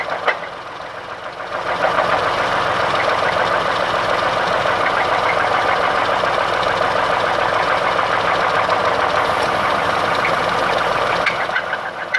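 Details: Ford Escape idling with a hard, even knock about three times a second over the engine, attributed to a spun rod bearing.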